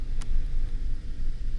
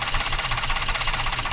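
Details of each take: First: 2014 Ford F-150 3.5 EcoBoost after fixing the coil connector and clearing codes; steady even low rumble with no stumbles, no misfire. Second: 2014 Ford F-150, 3.5 EcoBoost: lumpy idle with a repeating stumble and the engine shaking. The ignition coil connector was loose and was lubricated and reseated: cylinder misfire from a loose coil connector.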